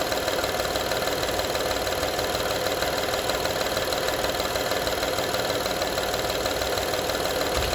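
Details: 2012 Honda Odyssey engine at steady idle: light, fairly even rattle of about three taps per second over the engine; engine rattle at idle, source not identified or confirmed.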